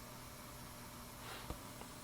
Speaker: I'm going to plug this in and as soon as it's initialized you'll probably be able to hear the hissing coming from the speakers